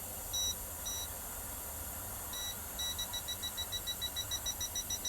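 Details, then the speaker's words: Toptes PT210S combustible gas leak detector with swan-neck sensor, tested on a small gas release in a caravan: faint high-pitched beeps quicken to a steady rapid pulse about two per second; alarming at the leak. "Oh see if I've got a gas leak go in here oh yeah see it's beep beeping straight away when the detas miles away it's right out here now"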